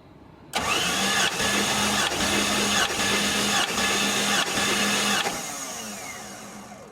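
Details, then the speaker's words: 1989 Jeep Cherokee, Renix 4.6L inline-six stroker, AW4, cranked during compression testing (160–178 psi): heavy regular ka-tunk clunk about every 0.8 seconds when running cylinder 6, then coasts to a stop; cylinder 6 is the culprit. "When I ran cylinder number 6, you could actually hear the clunk. So you could hear ka-tunk, ka-tunk, ka-tunk. So, it looks like cylinder 6 is definitely our culprit."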